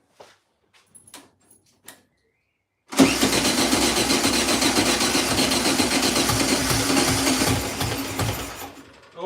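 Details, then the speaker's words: 1972 VW Beetle, first start after over 2 years sitting, fuel added to float bowl; catches and runs rough about five seconds then dies; owner suspects the start-mode solenoid is wrecked: fires but won't keep running. "I think the solenoid on this start mode is absolutely wrecked which is why it only seems to be like firing once"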